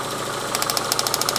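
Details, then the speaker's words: Renault Twingo with ECU fault: idle lumpy and shaky with a choppy uneven pulse and loud rhythmic ticking; two cylinders not firing despite strong spark, plugging leads in changes nothing. Misfire, two cylinders dead. "These 2 in here are not working. And listen to this."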